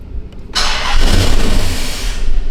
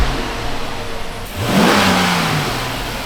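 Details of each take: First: Dodge Magnum R/T V8 wagon: cranks, catches and idles fairly well briefly, then dies instantly; suspected vacuum leak, ignition or crank sensor, check engine light present for diagnosis. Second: Dodge Magnum R/T V8 after replacing an O-ring, idling steadily around 800 rpm, not yet warm, in park, then one clean rev; sounds healthy apart from a belt squeal.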